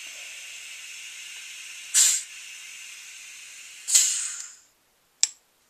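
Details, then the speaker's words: DLX Luxe 2.0 paintball marker with the known grip frame leak, on a 600–650 psi medium-pressure tank: sharp hissing bursts about every two seconds, each trailing off, leaking soon after gassing up and apparently from the solenoid area; the regulator is checked first. "i've got it back down and already it's starting to leak [Music] so it sounds like it's coming from the noid area"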